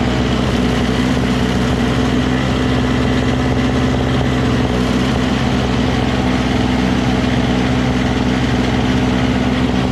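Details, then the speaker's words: Single-stage two-stroke snow blower: a steady, even buzz at constant speed with no misses, surging or knocks; the auger drive was briefly hung up and now stops and starts correctly with the handle. Normal running. "so it works just fine it was just hung up for a second you know but then when you once you loosens up it stops when you uh disengage the handle and it starts when you engage the handle"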